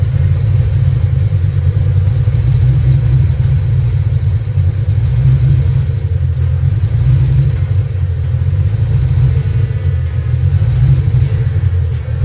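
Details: Foxbody Mustang V8 after distributor PIP pickup swap and TFI module swap: deep rumble through idle and light revs with an occasional uneven, stumbling beat; misfire traced to a bad distributor, spare also bad.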